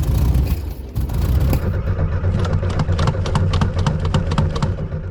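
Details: 1972 VW Super Beetle cranking steadily with uneven chuffing but never catching, even with starting fluid sprayed in; water getting into the fuel tank has ruined the gas.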